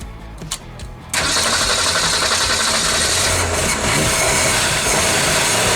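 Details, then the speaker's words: 1965 Ford Mustang built September 1964, sat in dirt since 1990, first start after about 30 years with cleaned grounds, good battery and freed seized carburetor butterfly; starter cranks, engine catches and idles loud, ragged and lumpy: rough running after long storage. "yes sir we have a runner all right okay go for it all right she runs she idles"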